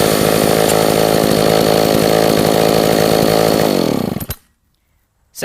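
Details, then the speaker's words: Roadside-found Echo 452VL chainsaw first run after repair, mic held next to it: steady, even two-stroke buzz that holds pitch, then winds down and cuts off; runs well though quite smoky. "as you can see it runs great it's just a little smoky but we can fix that"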